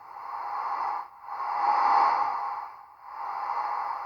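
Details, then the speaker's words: Faulty Lowe HF-250 receiver before repair, logic boots fine: only a thin hiss centred near one pitch swelling and dropping in slow waves, like CW on a very narrow filter; tuning changes nothing and no signal is received. "nothing really sounds like it's on cw on a very narrow filter that's the best way i can describe it"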